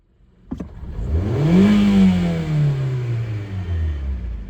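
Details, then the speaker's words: 2012 Hyundai Accent 1.6L, warmed up, codes P2187/P2191 (lean): revving, pitch climbs and sags unevenly as the engine shakes and stumbles; owner suspects carboned-up valves, checking vacuum leaks first; later fixed with SeaFoam and throttle body cleaning. "Yeah, she's definitely not happy when you do that. She's jumping around a little bit. But like I said, I think it's just the carboned up valves."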